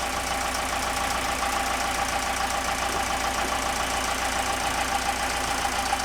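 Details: Newly rebuilt marine diesel on a sailboat after 18 months in a Malaysian boatyard, idling in neutral. A regular knock about three to four times per second; a real knock, but the cause is not yet known and a mechanic is being consulted.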